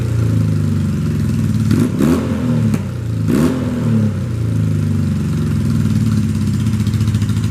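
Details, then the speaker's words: 1978 Honda CB400A Hondamatic twin, custom build with velocity stack fitted and no exhaust clips: steady, even twin-cylinder beat with a couple of crisp throttle blips, no knocks or misses; running pretty good, normal running. "I say she's running pretty good"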